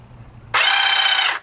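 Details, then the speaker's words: Yamaha Virago XV1100 starter jumped directly with 12 volts: a sharp, even high whine under a second, starting and stopping cleanly, no grinding; starter fine, the solenoid is suspected bad. "The starter is fine, and when I engage the gear to the flywheel for the starter, I think it's gonna turn the engine over just fine."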